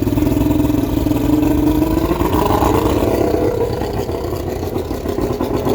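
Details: 1995 Astro 18FS boat's V6 135, 5x5 prop, on flushing water, started with warm-up lever up and a little prime after sitting a while: low, lumpy run with uneven beat and surging tone; rough running after sitting.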